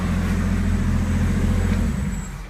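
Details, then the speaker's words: 1963 Pontiac Acadian, freshly timed: steady, even, smooth idle with no dieseling or pinging; about 30 psi oil pressure. "no dieseling no pinging has as much power as this engine will ever have"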